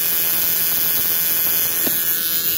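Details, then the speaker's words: Battery-operated buzz coil (Model T style) with relay for a hit-and-miss engine, contact made on the engine; continuous thin electrical buzz over faint hum, no engine beats, producing a continuous multiple-spark discharge. Normal operation. "it's a continuous [Music] spark so it's kind of like a uh a multiple spark discharge uh long before that was invented by other people such as MSD which is multiple spark discharge"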